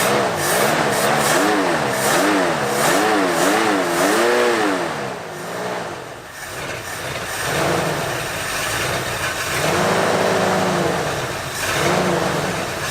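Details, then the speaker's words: 1973 Ford Bronco 302 V8, revived after about 10 years in storage, cold, first run after carburetor work with ignition and wiring good: idle pitch wavers about twice a second then sags, weak idle; vacuum leak suspected, with timing and mixture screws still to set. "yeah let's see how we did it sounds like weak idle yeah it's it needs some work the ignition and everything worked though"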